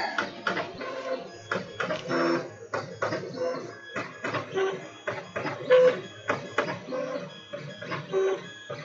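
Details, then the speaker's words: Monoprice MP Mini Delta 3D printer, preheated, nozzle heading to 210°C before printing: short whirring motor moves with brief pauses every few seconds as the head touches down; normal auto bed leveling probe. "but the meantime I'm going to see how this goes look at that there's the auto bed leveling"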